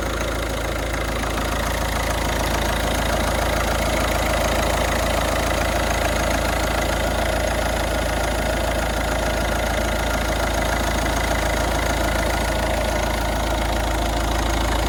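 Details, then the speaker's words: Ford Focus diesel after cam cover refit, oil confirmed reaching the turbo: steady, even idle with light regular clatter and no misses or odd noises; no leaks, no warning lights, running really nice. "running really nice really nice for a diesel"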